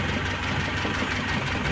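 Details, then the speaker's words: Carbureted Lada warming at idle: light regular tapping from top of engine; heavily worn camshaft with large play knocks louder as it warms, oil pressure light flickers when hot; planned fix: new camshaft and welded cam cover. "вал надо будет поставить и крышку заваренную и по мере прогрева распредвал будет стучать всё сильнее естественно из-за этого что там люфт на этом самом на распредвале большой"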